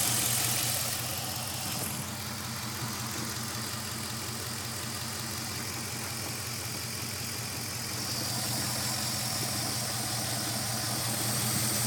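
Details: 5.7 Hemi V8 at an uneven, lumpy idle with a loping pulse about four times a second instead of a smooth hum; rough idle, cause unclear.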